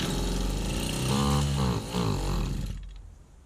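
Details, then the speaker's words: 1991 Victa VS19 straight-shaft two-stroke strimmer after carb refit: buzz runs a few seconds, wavers in pitch, then fades out; fires but won't stay running, owner suspects old throttle cable needs adjustment. "It fired. I've got life. Just didn't stay running, that's all."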